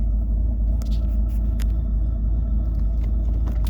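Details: 2011 Cadillac CTS-V Coupe, about 34,300 miles, with headers and straight pipes but no catalytic converters and no check engine lights; deep, even V8 rumble at idle with a steady beat and no miss or knock, a healthy idle.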